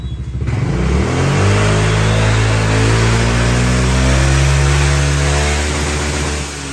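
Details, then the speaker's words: 2022 Honda SH350i, 8,000 km, with reworked CVT clutch/pulley, titanium exhaust header, modified muffler and new air filter: smooth rev from idle to high and back, even drone with no drive rattle. "đây chiếc sh350 thì sau khi mình làm lại nồi pô lọc gió để cho nó nhẹ bốc khắc phục mới lỗi run qua đầu luôn mình test cho anh em xem mở tua luôn nha"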